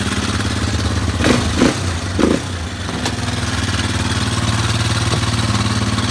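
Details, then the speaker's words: Warrior single-cylinder engine after valve adjustment, warmed up, timing chain tensioner not replaced: warm idle still carries a light irregular top-end tapping, about three a second. Sounds better but noise persists, cause unconfirmed. "That sounds better. There's still something there for sure, though."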